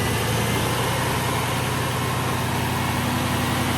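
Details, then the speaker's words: After repair of failed timing chain tensioners, a 2005 Mercury Grand Marquis 4.6 modular V8 idles smoothly and evenly with a steady low hum; the former timing chain rattle, knocking and chirping are gone, leaving a normal idle. "Timing chain rattle is gone. No more noise left. And you would absolutely hear it right now. You would hear the knocking sound. You'd hear that weird chirping sound."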